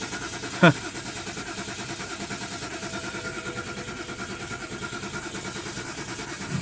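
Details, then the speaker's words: 2010 BMW 528 (N52) no-start that cranks and stops, all ignition coils unplugged: steady, even starter churning continues without firing or cutting out; continuous cranking confirms the coil/ignition hypothesis. "let me unplug all the coils see if we can get it to stop stopping and if we can get continuous cranking"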